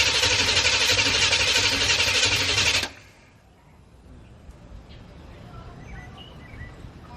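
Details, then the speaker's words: Corvette after new spark plugs, fuel dampener and EGR valve work; steady fast cranking about four beats a second for three seconds, never catches. Owner suspects fuel-related problem from fouled plugs. Crank no start. "all right so we still couldn't get the car to start for some reason which it does indicate that they had a foul part plugs so it is a fuel related problem"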